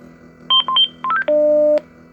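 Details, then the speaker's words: International school bus, CDL pre-trip interior inspection: a quick run of electronic tones ending in a longer double-pitched beep from the radio check; radio working normally. "Check to make sure the radio is working. There we go. You should hear a little beep beep when you do that. All right, so the radio is working."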